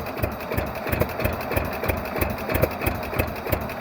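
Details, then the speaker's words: 1948 John Deere B two-cylinder converted to propane, Model E regulator, fuel enrichment valve full rich while still a bit cold: slow, loping idle popping about three times a second, steady; runs fine and does not appear to burn oil. "fuel enrichment valve full rich thatan when it's a little bit cold it still runs best but a little you know richer but as it heats up we can lean out"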